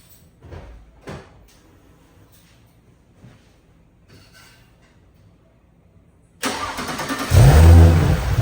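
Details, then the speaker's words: Audi B9/B9.5 S4/S5 with a stage 3 TTE710 turbo, first startup after fitting the 034 Superduper inlet and S34 intake: the starter catches and the engine fires, flaring to a rumbling high idle with no obvious misfire; a normal cold start. "Alright, so if y'all stayed this long with me, you're about to hear the first startup on stage 3 on the TT 710. So let's turn it on and make sure nothing leaks."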